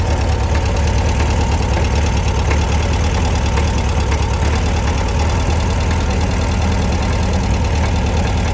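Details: 1966 VW Beetle 1300cc air-cooled engine idling with deep steady thrum and faint irregular clunk; owner asks what the clunk is, also has an oil leak of unknown source.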